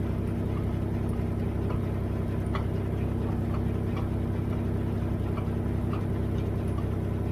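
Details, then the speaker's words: Dodge at idle: faint sharp clicks and clunks popping through irregularly, a few per second; owner locates clunking in the rear end and suspects the rear end is going, not confirmed. "clunking located in rear end, rear end is going"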